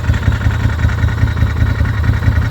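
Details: Used Can-Am side-by-side just bought, at idle, sound very loud in the snorkels (exhaust modified): loud rhythmic thumping pulse about five beats a second over the idle; abnormal engine noise, cause not identified (owner hopes it needs belt and clutch).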